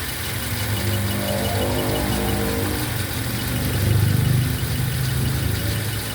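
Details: Toyota Avanza third generation at idle: rough, lumpy idle with an uneven low chuff that stumbles every few beats; misfire.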